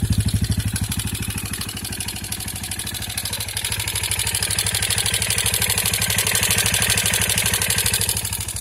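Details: 2003 KTM Duke II single with HighFlow exhaust at idle: loud mechanical clatter rides on each beat of the uneven idle, about three per second; unhealthy engine noise, possible engine damage suspected, cause unclear.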